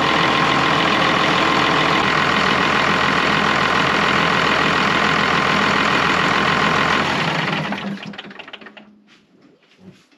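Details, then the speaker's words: Cummins 6BT in old Oshkosh plow truck, first start in 10+ years, coolant not yet filled: even six-cylinder diesel idle with regular beat, then clean shutdown and spin-down; engine runs healthy. "now that part was almost too easy uh I didn't want to leave it running too long because uh want to get the coolant in there but looks like we got a runner"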